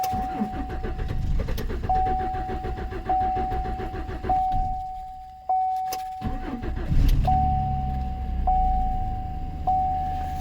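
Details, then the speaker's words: 2014 Chevrolet Silverado 4.3, fuel pump recently replaced, tested with external 58 psi fuel supply to rail: cranking bursts then steady run; no supply pressure, pump failure first suspected, gauge read under 1/4 tank, fuel level sender apparently defective or inaccurate; crank no-start from lack of fuel. "so I think the low pressure fuel pump has failed I wish I could get this thing to start"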